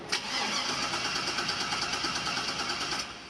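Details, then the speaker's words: 1977 Chevrolet K10 shortbed swapped to a 5.3 L LS V8, after getting the fuel pump running; a short crank, then the engine catches and settles into a steady, even idle, a normal start with no fuel leak. "Cycle it a couple times, get the air out. There's the LS we know and love. Perfect."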